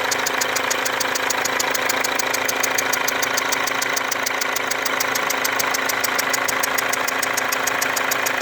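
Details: Mercedes W204 diesel with a leaking injector and burnt diesel residue around it: sharp, fast ticking about four per second with a thin whistle over steady idle, heard near the leaking injector.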